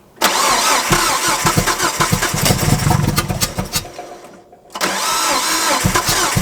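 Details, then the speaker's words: Neglected Nissan Frontier with plugs pulled (number 1 caked, burning oil): uneven cranking catching in weak lumpy pulses, sounds like a dead cylinder; could be compression, sticking valves, timing or spark, untested. "It does sound like it has a dead cylinder."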